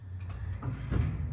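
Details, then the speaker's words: Lamborghini Aventador SV magnetorheological monotube shock absorber on a dynamometer test stand: deep rig rumble with dull knocks about three times a second, very asymmetric graphs; gas has passed the separator and foamed the oil. "Right from the start we can see… extremely asymmetrical graphs — really poor results. You can even hear the knocking."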